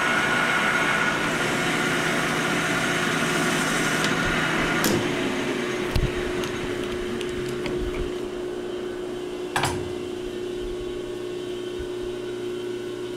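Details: Lathe finishing pass turning O1 tool steel stock to 0.750 in with a new insert: steady even hum with a clean spindle tone that steps up mid-cut, no chatter or squeal; a smooth, healthy finishing cut.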